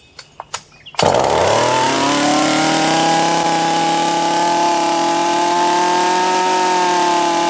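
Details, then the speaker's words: Husqvarna 44 chainsaw after a new carb kit (first suspected bottom end), base gasket removed to raise intake duration, cold start at half throttle: almost two pulls, then it fires and settles into a steady, even high-revving drone without stumbling. "So that's all it was the carb kit. Not a hugely powerful saw, and it may be that intake duration, but we actually increased the intake duration by lowering, taking out the base gasket on there too."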